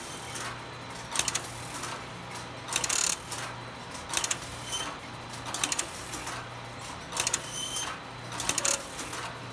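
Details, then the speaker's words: Telephone line finder exercise test on relay switching equipment. Bursts of rapid relay clatter and ratcheting roughly every 1.5 seconds over a steady hum; the sequence switches are cycling normally. "it's running pretty well right now I've been messing with it a little bit it stopped a couple times I think I figured out most of the problem so let's just let it run and exercise"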